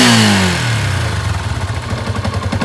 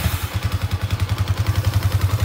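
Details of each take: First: Yamaha Exciter 150 at startup and idle, before repair: loose, uneven clacking rattle over the engine beat from the clutch housing (dọng nồi); fix is redoing the clutch. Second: Yamaha Exciter 150 after fixing clutch rattle (clacking): even, quick single-cylinder putter at idle, about eight pulses a second, no clacking from the clutch; runs smooth and healthy.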